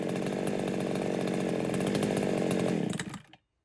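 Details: Foresta chainsaw that would not start, after replacing the worn carburetor needle rocker and the membranes: an even, strong two-stroke buzz holds steady for about three seconds, then shuts down cleanly; it runs properly.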